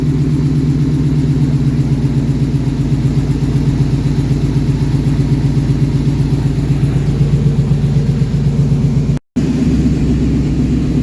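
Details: Ford Mach 1 with Coyote V8 (listed as 2004) at its first start after fuel pressure set to about 56: deep, even V8 burble with a steady pulse around four beats a second, no misses or knocks; runs cleanly at idle.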